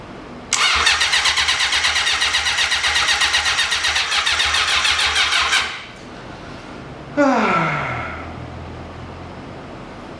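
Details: 1980 Honda CB750 sat 35 years, carbs primed: steady starter churning about five seconds with no firing, pause, then brief crank winding down; turns over but won't catch, battery to be charged and carburetors suspected.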